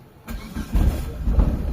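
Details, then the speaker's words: Mitsubishi Lancer Galant, 4G92 engine, stored two years, push-started: engine catches and runs with deep uneven thumps, misfiring; low power on revving, no check engine light shown. "Ayan mga boss. Ah o mga bossing ano palyado siya mga boss."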